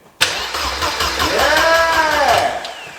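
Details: Mercedes 190E after an engine swap; the starter spins the engine steadily for about two seconds but it never fires. Suspected no power reaching the fuel pump through the jumper wiring, not confirmed.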